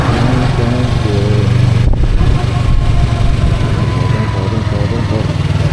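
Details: 2023 Yamaha R3 while riding under load: a thin, faint whine rising slightly with speed; source not identified and the owner is unsure whether it's harmful.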